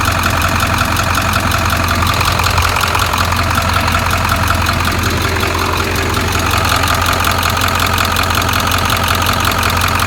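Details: 7.3 engine at idle: sharp, steady ticking about two to three per second over a deep diesel idle, a top-end tick with no cause identified.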